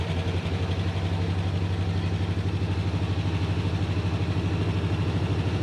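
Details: 1987 Dodge RamCharger, battery just reconnected, cold start with air cleaner off: deep, even low rumble with steady pulsing beats, a little puff of smoke; fires right up and settles into a smooth idle, owner thinks idle runs slightly high.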